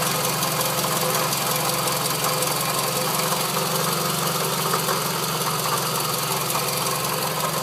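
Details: Scion tC idling before repair: loud, rapid knocking rattle from the front of the engine. Parts-store opinions were belt, water pump or power steering pump; owner feared rod knock; confirmed failing water pump, noise gone after replacement.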